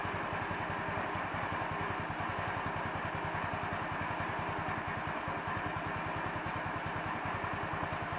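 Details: 150cc Chinese scooter with electronic choke, idle screw only, mixture screw hidden under welch plug; single-cylinder idle near nine beats a second with occasional stumbles, rear wheel not spinning; uneven idle, owner suspects idle mixture, not confirmed.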